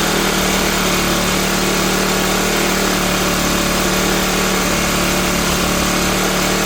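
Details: Cheap used Troy-Bilt backpack blower, unused this year, revving high on choke while warming up: it sounds harsh and slightly uneven rather than smooth. The owner finds the carburetor gummed up and plans to replace it.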